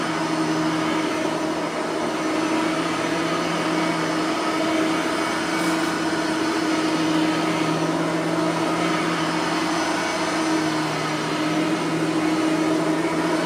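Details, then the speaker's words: Bissell 3510-9 (9 amp) upright vacuum after greasing both brush roller bearings; smooth even motor drone, steady pitch, brush roll turning freely with no scraping anymore; normal running. "there's no scraping anymore because I have fixed the brush roller bearings so we won't have to hear the uh scraping anymore"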